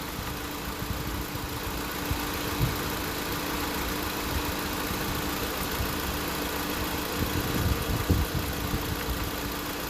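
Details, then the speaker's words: 2016 Honda Civic on R1234YF during a low-side recharge: smooth idle with steady compressor hum and fan rush, clutch spinning, nothing grinding or rattling; AC compressor and condenser fans running normally. "So you can hear the compressors on, you can hear the fans are on, and the double check with the light here, the clutch is spinning."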